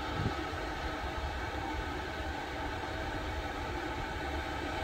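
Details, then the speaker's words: VEVOR 8kW 12V all-in-one diesel air heater, running hot with exhaust pipe wrap starting to smoke, settings not yet tuned: steady soft rush of air over a low, even rumble, no knocks or surging; quiet normal running. "really quiet it just sounds like a bunch of air"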